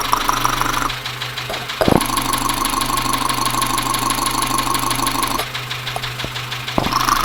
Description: Engine is knocking on this Dacia Sandero so I used a stethoscope to try and track the noise.